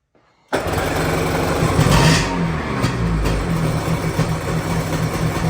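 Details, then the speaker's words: 1997 Sea-Doo XP 800 two-stroke, first runs after several years sitting and rebuilt carbs: catches and settles into a low, uneven burble that sags and wavers; idle speed set a touch too low. "Needs to go up a little bit more. Just a smidge."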